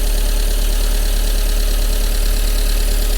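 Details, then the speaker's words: Car running on secondhand coil, leads and throttle body with new plugs, check-engine light on: even low idle thrum without misfire, but grey smoke and barely revs; seemingly running rich. "but it is actually running and not misfiring and so on it's quite a lot of grey smoke coming out the back let's just take you around now quite a lot of smoke coming out the back let's try give it some ribs i think it's too rich"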